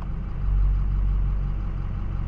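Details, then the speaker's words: 6.0L Powerstroke diesel with a P0299 turbo underboost code, VGT turbo vanes commanded open with a scan tool: deep even idle with almost no turbo whistle, normal; closed vanes would give more whistle. "if you have a scan tool though like this I have the vgt pulled up I can open and close it and when you do this you can hear the engine change in sound so I'm going to open"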